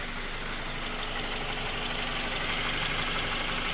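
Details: Honda K20 at idle: light, fairly even knock about three times a second, heard from the bottom of the engine; valve adjustment already done, owner unsure whether rod knock, piston slap or tensioner knock.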